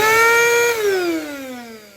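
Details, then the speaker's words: Mirka 1025L vacuum with high turbine vibration, no short sign on brushes but heavy wear: loud, high steady motor whine sinking in pitch as it's switched off and spins down, before turbine cleaning. "Porém, ele já demonstra para nós aqui um desgaste bem elevado. Que nós vamos fazer aqui uma limpeza na turbina e vamos ver se ele vai voltar a funcionar sem essa vibração tão alta."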